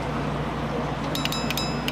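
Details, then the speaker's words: MY-series relay with its coil powered from 220 V mains, being set up to switch a 12 V fan. Over a low mains hum come a few crisp clicks as the coil pulls in, the contacts change state and the LED lights: the relay is working normally. "You can hear the clicking as well as you can see this LED. LED is coming on and the clicking is there and the switch is changed."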